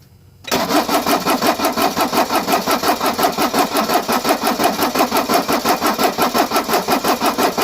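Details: Mercedes 240D revived after sitting for years, cold (mid-40s °F), fresh oil, orange diesel drained. Cranked with a little throttle and no working glow plugs; even cranking about three per second, never catches. Primer pump suspected.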